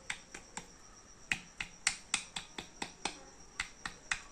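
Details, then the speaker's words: Old Splendor four-stroke engine opened, connecting rod rocked by hand: sharp uneven metallic ticks about three to four per second; excess crankshaft big-end play, worn bearing needing connecting rod work. "பாருங்க எவ்வளவு play இருக்கு பாருங்க இது இந்த மாதிரி ஒரு play இருக்கக்கூடாது இந்த மெயின் இந்த சவுண்ட் கனெக்டிங் ராட் செக் பண்றதே இதுதாங்க"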